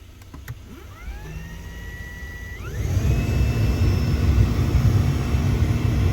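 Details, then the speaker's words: 2006 Toyota 4Runner V8, 190,000 miles, cabin blower motor on high: spins up in two steps to a steady whining, grinding, wheezing roar with reduced airflow; the failing blower motor was replaced. "I'm sure you can hear that whining, grinding sound."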